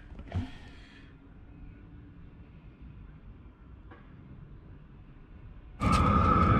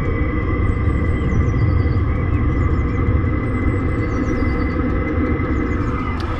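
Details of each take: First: Chinese diesel heater at full power after fitting an Eberspacher silencer with stainless piping: steady even roar with mild hum, about 67 dB versus 72 dB before, lower pitch, concrete floor echoing; normal healthy running. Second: Chinese diesel heater in a camper van with small stock muffler, about 72 decibels measured: constant low exhaust roar with steady high-pitched tone on top, before upgrade to an Eberspacher silencer. Loud exhaust noise.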